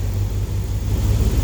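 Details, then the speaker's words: Replacement 5.9 Magnum V8 in a high-mileage flatbed truck with new torque converter, not yet at full temperature: steady low rumble, faint injector ticking over mechanical noise, no knocks or misses; normal idle. "i can hear the injectors firing over the mechanical noise the engine makes so i'm happy this thing's running smooth"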